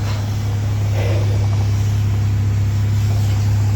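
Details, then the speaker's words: 2009 Buick LaCrosse, crank-no-start fixed by a new crankshaft position sensor: starts right up and idles with an even, steady low hum, no misses or stumbles; healthy. "Car turns right on. Engine sounds good. All good to go."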